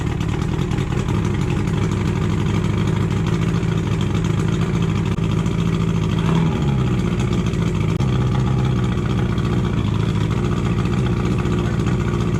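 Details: Boat engine that hadn't run in over a year, after a new starting battery, new spark plugs and plug cables: a steady, even low rumble for several seconds with no stumbling or misfire; it has caught and runs smoothly.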